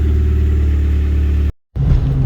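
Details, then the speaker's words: Exhaust after refitting back box with new gasket (previously leaking): deep, even rumble under a rev, now exiting at the back, much quieter, no blowing, ticking or rasping; exhaust sounds sealed, normal. "Well, that sounds like that's coming out the back this time. That's better. That's a lot better. A lot quieter as well."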